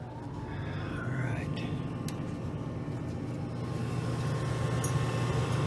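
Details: Shop furnace blower with an old shaft-through-type motor, restarted during a quick capacitor fix. Steady low hum with a soft airy rush, even, with no grinding or stutter. Normal blower operation.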